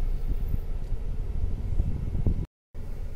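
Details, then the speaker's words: Mercedes CLA 200 after repair of cut intake manifold sensor wire and cleared codes: low steady idle without stumbles; previous vibration, misfire and check engine light are gone. "और जो हमारा गाड़ी जर करता था चलते समय पूरा मिसिंग करता था वो भी बैंड हो गया है"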